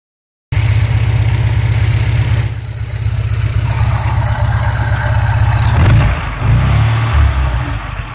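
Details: Škoda 125L petrol engine: steady high-pitched whistle over a lumpy idle, shifting pitch as it revs; engine whistle.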